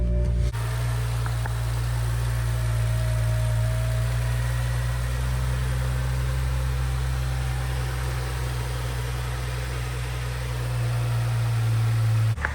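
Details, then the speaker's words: BMW 335i on jack stands after repairing oil filter housing gasket, coolant leaks and belt: smooth steady low idle with no ticks, knocks or surges; engine idling normally, later warm and leak-free. "There she goes. So far sounds good."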